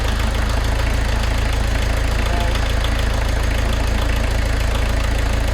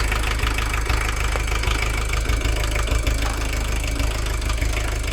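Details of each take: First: VW camper diesel van idling with steady, even clatter, no misses or hunting, after the leaking injectors were worked on with a 17 spanner; settled into a nice comfortable idle. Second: VW camper diesel with leaking, incorrect injectors stuck in place by a previous owner: lumpy, uneven idle with knocking beats about three a second, though better than before. Rough idle from incorrect injectors.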